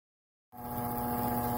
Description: After putting up with a noisy bathroom exhaust fan for months, a little 3-IN-ONE Oil and a thorough cleaning the fan is now quiet.